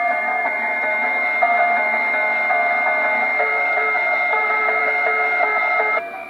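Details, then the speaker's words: Crosley 157 antique console radio fired up on a current-limiting bulb with temporary replacement electrolytics: clear station audio with steady tones and no hum or crackle. The whole signal path is working. "Okay, we're getting somewhere. Got a station there coming in. That's our local station."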